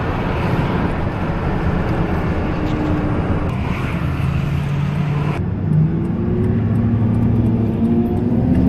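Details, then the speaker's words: 2000 Dodge Ram 1500: steady low hum over road noise, rising in pitch as speed increases, from a worn rear differential ring and pinion with sharp worn gear edges; the whole differential, including the bearings, was replaced and still had to be tested. "2000 Dodge Ram 1500, un problema en el diferencial, haciendo un zumbido, no sé si lo alcanzan a escuchar."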